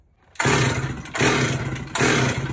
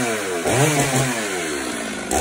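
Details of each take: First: Stihl chainsaw that won't start: seven quick recoil pulls, about one per second, each a brief rasping crank that never catches. The saw is flooded with fuel. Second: Stihl two-stroke chainsaw after clearing a flooded, soaked spark plug: catches and revs up, pitch sweeping upward then settling to a steady high buzz, starting at half throttle and running cleanly.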